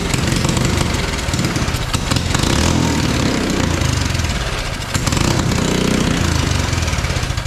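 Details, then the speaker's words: Mini bike small engine with good spark: sputters and surges unevenly only while brake cleaner is sprayed in, then fades; won't run on its own fuel, carburetor fuel problem suspected. "so it does not want to run on the fuel that is in it clearly it's only running when I give it some brake cleaner here"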